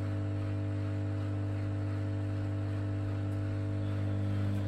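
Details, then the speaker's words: Bosch WFK2801 washing machine with error code 03, stuck full of water, on drain after pump inspection: steady, even low hum with no rattling, grinding or straining; drain pump working normally. "pump's working it should spin around"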